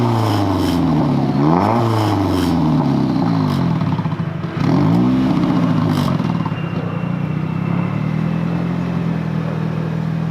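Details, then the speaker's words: Nissan 240SX, first start of the season after new spark plugs, previously died when the gas was released: two quick throttle blips rise and fall cleanly, then a steady idle without stalling; normal rev and idle. "it's still idols normally it would die at that point if I let go of the gas and it's idling so it's crazy how much the actual plugs changed what this car does"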